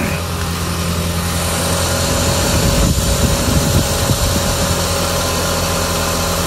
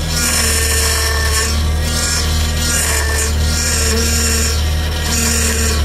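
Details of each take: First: Audi TT after power steering line replacement and fluid bleeding, engine idling with car fully reassembled: steady idle, no whine, groan or gurgle from pump, no sound of air left in system; normal power steering operation. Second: Audi TT with a leaking power steering pipe, engine running. A steady droning whine with a harsh, gritty edge comes from the pump, caused by air drawn in through the leak aerating the fluid; a leak or a bad pump causes this noise.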